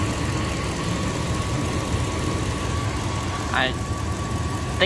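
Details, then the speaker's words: 1999 Dodge Durango SLT V8, sat about 14 years, warm idle after exhaust manifold reinstall: light quick ticking over a steady rumble, judged valve train noise rather than an exhaust manifold leak. "that's valve train noise I'm hearing and not exhaust manifold leak"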